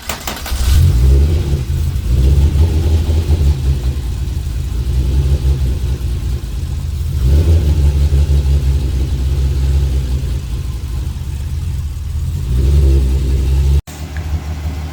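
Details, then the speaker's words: VR6 MK3 Golf after MAP sensor replacement, running about five minutes: low, steady idle with an even, unbroken beat and no stumbles; the earlier misfire and uneasy idle are gone. "Looks like it's been running smooth. It's been on for the last uh I want to say 5 minutes or so."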